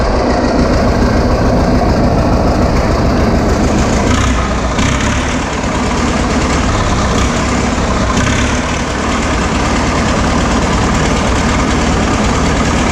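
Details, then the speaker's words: 1936 Caterpillar RD7 crawler, first start since its seized, water-contaminated starting engine was rebuilt from parts units: loud, steady diesel clatter running evenly without misses or knocks; normal running. "that's not so bad that's uh two starting images in a row where they fired right up for us"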